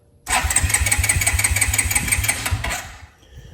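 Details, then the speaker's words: 2002 Suzuki King Quad 300 4x4, cold, choke on: starter churns in a steady chug about three beats a second for nearly three seconds without the single catching, then fades; hard cold start. "And let's do the start here. It might not start cold."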